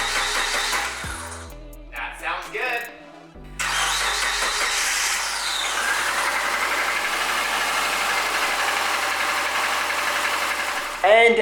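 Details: 2004 Subaru Forester XS SOHC after a timing belt replacement, started once a no-ignition crank check passed: a few short cranking bursts, then it catches and settles into a steady, even idle, so the engine sounds healthy.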